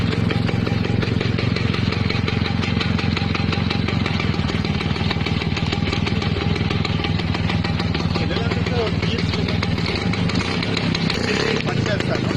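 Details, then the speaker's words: Another restored vintage Lambretta two-stroke scooter, both Lambrettas given throttle after starting: crisp, even buzz that picks up cleanly with each blip and settles back without misfiring; sounds healthy. "Démarrage d'une autre lambretta (Son) Donner de l'accélérateur aux deux lambrettas"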